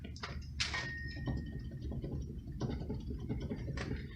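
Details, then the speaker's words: 2004 Ferrari 360 jacked up, wheel spun before bearing replacement: rough steady low rumble with scattered clicks and a brief faint squeal from a worn wheel bearing. "so yeah it's pretty bad"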